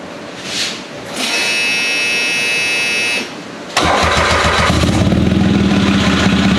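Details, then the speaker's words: Off-road machine after a drag strip session; once running, a rapid hard knocking at about four per second comes from the transmission and stops with the clutch in. Sounds like a broken rod, but the engine is fine. Transmission knocking. "certainly not the noise you want coming out of the transmission now I would have been heartbroken if the engine was making that noise because it sounds like a rod sounds like a broken Rod"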